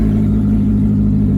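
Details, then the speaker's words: 1999 Mazda Miata (NB), bone stock, sat 8 years, driving with catalytic converters missing: loud, deep, raw burble under light throttle, much louder than stock. "Shoot, man, why spend money on an exhaust when you can just take it off? It sounds the same."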